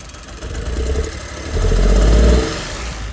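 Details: Alto K10 BS6 petrol engine, checked at the rear silencer, running lumpy and uneven through a brief rev: misfire with a system-too-lean (bank 1) fault code; a faulty injector is blamed, carbon-clogged per listening.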